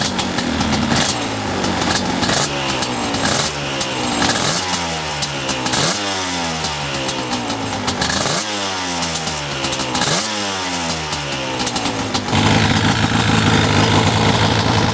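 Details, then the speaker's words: 1995 Yamaha Banshee 350 two-stroke twin after 18 years in barn, revived: repeated throttle blips, revs climbing and dropping cleanly with steady crackle between; sounds healthy before first test ride. "I forgot how good Banshee sound best sounding machine there is for sure sounds so good"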